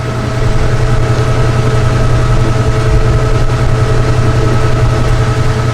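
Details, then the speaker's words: Washer spinning a load of towels in its finishing stage: steady low motor hum with thin sustained whistling tones riding over it; normal high-speed spin, nothing amiss. "They're in the finishing stages at this point. I love that like whistle that it's got going on."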